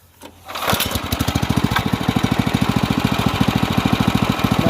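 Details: Off-road kart with stock carburetor on a 301 engine, throttle adjusted; catches then chugs in loud uneven pops three or four a second; owner suspects lean running, dirty carb or oil sensor, not confirmed.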